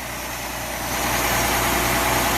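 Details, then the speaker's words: Early-1960s Ford Falcon, believed 170 cu in inline six, first start in 16–17 years on fresh gas via temporary tank: smooth regular idle pulse, even, no valve train ticking. Normal idle. "listen to that motor sounds pretty good"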